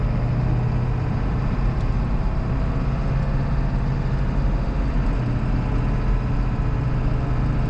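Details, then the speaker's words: 2001 Ford F-550 7.3L Powerstroke on a road test through the gears under load, after new exhaust manifold gaskets and BD up-pipes fixed leaking manifolds: deep, even, smooth drone, no exhaust ticking or puffing; leak fixed. "Sounds great. This thing sounds nice and smooth. I'm happy. No more ticking."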